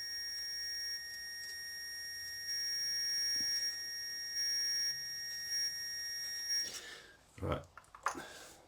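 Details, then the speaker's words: 1968 BSA Bantam set at 16 degrees before TDC, bolts loosened to stop the continuity beep: steady high beep holds several seconds then cuts out; points stay closed, adjustment too far out, so the cam itself must be adjusted. "the adjustments too far out so i'll use the actual cam to adjust it"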